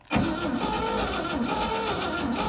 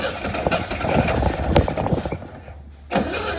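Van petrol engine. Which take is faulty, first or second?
second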